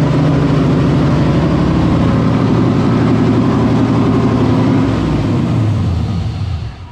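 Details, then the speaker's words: LS1-swapped Nissan 300ZX with Holley Terminator EFI, camshaft, first start, untuned: deep lumpy V8 idle, steady choppy lope about four pulses a second; rough at first, settles evenly once warm. "it's a cam it's a camp motor and it's idling like it should have like without a tune it up and everything"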